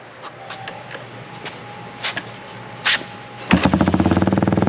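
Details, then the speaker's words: Honda XL175 dual-sport single after exhaust replacement: after some clatter it fires up and settles into a steady, low, even thump; new exhaust sounds deeper but not much quieter, healthy. "you know like i said i didn't think it was going to be that much quieter it's kind of a different uh deeper sound"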